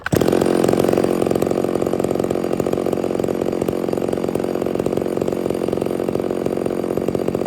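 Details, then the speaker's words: Stihl MS 660 chainsaw, 32in bar, after carburetor and air filter cleaning fixed its failure to hold idle: loud even two-stroke buzz held steady with no stumbling or surging; runs strong, though a broken fuel cap leaks and it smokes a bit. "yeah man I love that saw really not much to say except for that thing is badass"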